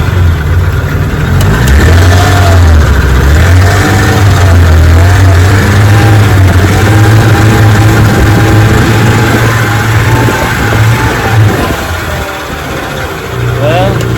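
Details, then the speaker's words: Restored 18 HP Evinrude outboard on a lake test: a slight spit at idle, and under throttle the speed swells and sags every few seconds; the owner suspects an ignition fault and plans to reset the points and change the coils or condensers. "it's surging. It runs and comes back, runs and comes back. Not sure what that is."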